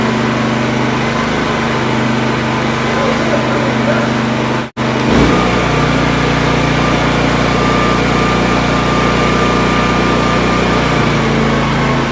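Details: Honda EB3500X generator after a full service and carb cleaning, running unloaded: a steady, even hum at constant speed with no surging or hunting. Runs smoothly and healthy.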